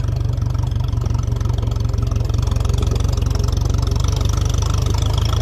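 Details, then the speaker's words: 1957 Ferguson 35 TVO tractor on an uphill road, revs let off so the engine labours: pulling hard at low revs with an uneven, sagging beat slow to recover; governor lazy but working to a certain extent. "governor's lazy, I will say, but it's working to a certain extent."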